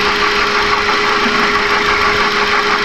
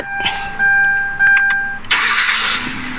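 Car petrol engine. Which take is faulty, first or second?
first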